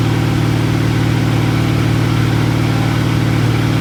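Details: 1986 Ford F150, freshly rebuilt 1996 Explorer 5.0L roller V8 with GT40P heads, E-303 cam, long tube headers, Edelbrock carb, HEI: deep regular rumble, clean even firing, no knocks or misses; running healthy after build.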